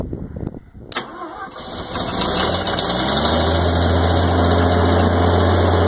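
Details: 1986 Onan 30 kW gasoline generator, 242 hours, 60 Hz set up for 240/480 V: brief cranking, then catches and settles into a smooth, even low drone; normal start and run.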